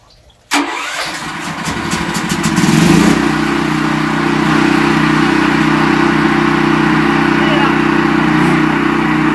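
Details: Brand-new Westinghouse WGEN9500 generator, restarted after its bad-gas surging was fixed: it pulls over, catches and settles into a steady, even drone with no hunting. The governor holds speed fine.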